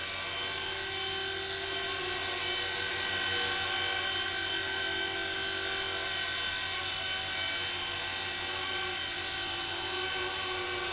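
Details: Blade mCP X RC helicopter hovering after the Z8RC boom truss mod: an even, high-pitched rotor buzz holds steady with no wobble or pulsing. The vibration it had before the mod is gone.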